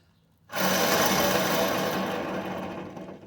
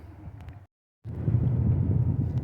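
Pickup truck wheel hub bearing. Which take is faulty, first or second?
first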